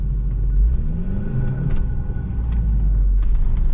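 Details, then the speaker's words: 2002 Saab 9-3 convertible automatic after a transmission fluid top-up, test drive: engine revs flare while road speed doesn't follow, slipping in reverse, with turbo bypass valve flutter. Transmission slipping. "ready reverse so far it's holding up no you guys can hear it slipping"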